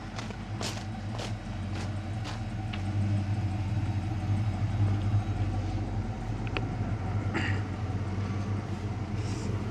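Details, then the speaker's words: Car idling right after battery reconnection: low, uneven, loping idle with stray ticks as the engine hunts while the computer relearns idle, which takes about 400 km; the rough running is relearning, not a fault. "it takes about 400 kilometers or so of this with this car to uh even out idle even out the idle after the battery's reconnected so that's why it's running so bad"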